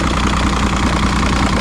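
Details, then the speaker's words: 2006 Evinrude 90 E-TEC outboard after fuel pump work; steady even low-pitched idle with smooth regular pulse, no knocks or misses; no active faults, engine temperature about 140-150, good battery voltage. "So, uh Yeah. It's good. No active faults. Temperature is about right."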